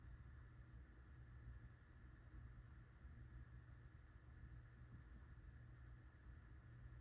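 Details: Litex Starlite ceiling fan dated February 1990, 16-pole motor, four blades, on low: quiet constant low hum with faint airy rush and no ticking, slight wobble; under 400 rpm on high (about 385 versus 450 max), owner suspects bad bearings.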